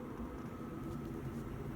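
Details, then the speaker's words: 5kW Chinese diesel heater heating a home, heard outside about 11.5 ft away and compared with a running car and the central heating: a steady, deep, rushing exhaust roar, louder than both. The owner suspects the silencer design. "And the heater is a lot louder than either the car or the central heating. Yep, it's definitely louder, is that? It's more of a roar. It could be down to the silencer."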